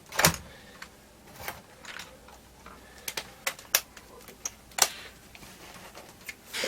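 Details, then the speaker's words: Amiga 500 stored under stairs since the early 2000s, first power-up after the 12 V supply line was checked. The power light is lit and the floppy drive makes scattered sharp clicks and chugging ticks as it seeks with no disk; normal seek clicking. "and i can hear the disk drive chugging so this drives them seeking light they do"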